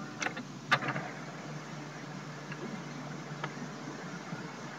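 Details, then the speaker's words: Trash-picked Brother FAX-565 fax machine, a little dirty, powering on and showing "please wait": a couple of soft clicks then a low, even mechanical hum of its start-up cycle, nothing rough or grinding; normal power-on initialization. "It's making a little bit of noise. It's a little dirty actually."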